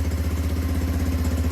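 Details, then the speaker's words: Lexmoto Street 125 single, a former non-runner, started without choke: settles into a steady, even idle with regular firing and no misses or clatter. Normal idle. "so yeah it's all working fine idle sounds lovely"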